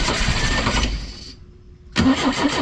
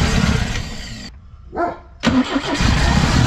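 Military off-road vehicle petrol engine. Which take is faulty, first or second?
first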